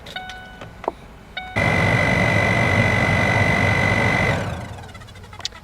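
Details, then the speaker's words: Chevy HHR heater/AC blower fan after its noisy fan was replaced with an Attwood 7200: the fan spins up to a steady whir with a clean constant whine, no rattle or scraping, then winds down smoothly; normal operation. "Let's go ahead and turn it on. Make sure everything sounds good."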